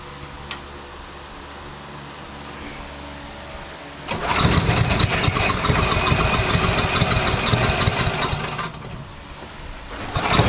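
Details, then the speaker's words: DeVilbiss PowerBack 5250-watt generator, Tecumseh engine, after carburetor and coil change with fresh fuel and filter: starts on choke after about four seconds, then screams at a high racing pitch; throttle set too high, overspeeding, later corrected by turning the adjustment screw counterclockwise. "The RPMs was way too high in the previous scene, so what I had to do is make an adjustment to the throttle to allow the engine to rotate slower."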